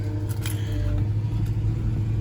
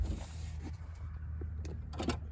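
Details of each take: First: Engine at idle with pending code P0302 (cylinder 2 misfire): an uneven, lumpy, struggling beat over a steady hum with a few clicks; misfire suspected from a failing ignition coil pack. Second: 2009 Infiniti FX50 after replacing coil pack for code P0302 and earlier rough running: keys rattle, engine catches and settles into steady, even low idle without stumbles.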